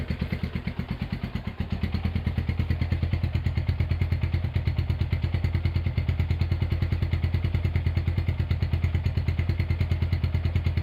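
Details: Honda GL100 (GLK 100) engine from Palembang after restoration, with CDI installed, a new tensioner blade and idle raised: an even single-cylinder thump of about three beats a second, no rattle or misfire. Runs healthy.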